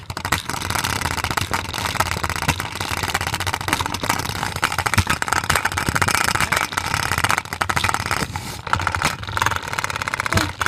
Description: Play-doh container is loud because it's shaking and the Play-doh is unbalanced.